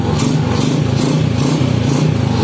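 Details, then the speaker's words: Honda Supra X underbone with an automatic clutch, demonstrating clutch adjustment. First gear is engaged with the shift pedal held, then released slowly so the bike moves off. The single revs freely with an even, steady throb and no slipping or dragging. The clutch disengages properly. "nggak bakalan Jalan kemudian kita lepas giginya perlahan Nah iya baru jalan"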